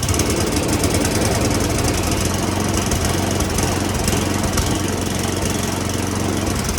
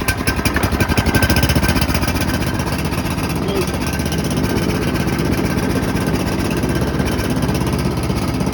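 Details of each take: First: Roadside free snowblower said to have a toast motor, carburetor sprayed with Seafoam and smoking: small engine labours unevenly, stumbling, irregular beats under a rough drone; rough running from dirty carburetor. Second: Free roadside snowblower, said to have a toast motor, after its carburetor was cleaned of junk: strong, steady chugging with quick even beats that holds speed under throttle without surging, then winds down at shutoff. It runs healthy.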